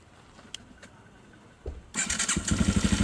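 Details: 2002 Yamaha TTR 225 after battery replacement: quiet, then a brief starter whirr and the single fires straight away into an even idle; normal electric start.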